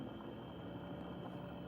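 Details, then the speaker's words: Panasonic Whisper bathroom exhaust fan after cleaning, soft steady whoosh with a faint even hum and no rattle or scraping; runs smoothly and somewhat quieter than before cleaning. "now we turn on the fan and the fan is kind of quiet there you go you can hear the fan so we know the unit is working"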